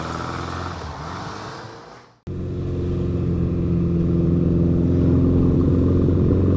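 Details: 1955 Ariel Square Four (SQ4) motorcycle: after a brief drop-out it settles into a steady, even four-cylinder beat that swells slightly; normal idle, though a slight stumble/misfire is noted when ridden, work in progress.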